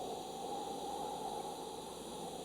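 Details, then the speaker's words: Eastwood TIG 200 AC/DC welder on sheet metal, welding close to the previous weld: steady hissing arc crackle turns rougher and louder as the old puddle pulls the arc over; TIG arc wander. "I'm going to weld a little section and see when we start seeing the arc get funny. You can actually hear it getting louder."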